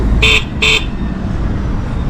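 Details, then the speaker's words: Talaria Sting R electric bike horn: two short, dull honks with little bite over street noise; weak muffled horn, suspected resting against something, probably the wiring. "Sound like it's resting on something. Or something covering it? That's what it sounds like."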